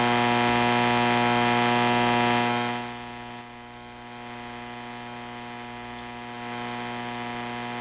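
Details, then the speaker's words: Hammarlund SP-600 communications receiver after undoing a previous owner's modification: steady loud mains-type hum with hiss and no station audio; owner suspects another failed capacitor, not confirmed. "hing. Doesn't sound right, does it? Does not sound right. For all I know, another capacitor has failed in this radio, and you know, I haven't caught up with that yet."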